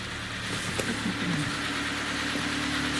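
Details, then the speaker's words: Kia Cerato G4FC engine with heavy oil consumption and a broken catalytic converter, heard running from outside before teardown. Rough idle with irregular dull knocking that points to bearing knock from running low on oil. "обычная проблема стучит без масла что сейчас будем разбирать смотреть"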